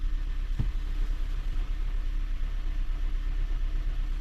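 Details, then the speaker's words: Honda Jade or Toyota C-HR hybrid at idle with fuel trim near -25%, strong fuel smell and intermittent misfire readings: deep, uneven rattling rumble with no misfire beat. The gearbox damper disc is rattling, which is likely triggering the misfire readings. "сейчас пока работает ровно вроде нету пропусков по зажиганию но демфер гремит ё-моё вообще"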